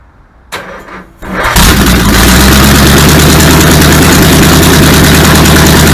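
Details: Supercharged V8 in a 1959 Vespa microcar, refuelled from a hand-held can with throttle worked by hand: cranks briefly, catches hard into a loud, steady, even idle with smoke from the exhausts; timing, fuel pump and cooling still to sort.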